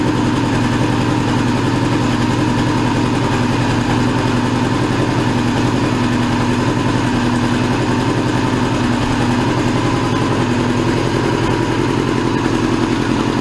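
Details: 2002 Yamaha YZF R6 four-cylinder, 6 years sitting, restarted after fuel-leak cleanup: steady idle with an irregular stumbling pulse about three to four a second. Owner feels it runs on three cylinders, suspecting a gummed carburetor or fouled plug.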